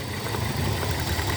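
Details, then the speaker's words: 2002 Hyundai XD (Elantra) petrol engine idling with uneven, lumpy low thrum and shaking, running on three cylinders; cylinder 1 misfiring completely from faulty spark plug/plug wire. "بص هنا قد ايه بتتهز المكنه بص مش عارف باين الهزه ولا لا شايف هي دلوقتي دايره على ثلاثه سلندر سلندر رقم واحد قاطع نهائي"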